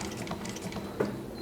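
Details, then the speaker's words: Juki LU-1508N walking-foot machine converted to the 190 needle system, sewing 1/2-inch leather after the squeak from the throat plate rubbing the feed dog was fixed: quick, even ticking with no squeal. It doesn't struggle. "So it certainly doesn't struggle going through that 1/2 inch just like the original ne"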